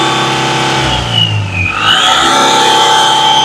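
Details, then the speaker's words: Mahindra Maxximo diesel after replacing the coolant temperature sensor socket (gauge needle had been rising to half): revs dip then climb back cleanly as throttle opens, rising freely without hesitation; previously missing pickup now restored. "जो pickup गाड़ी में नहीं था वो pickup भी आ चुका है"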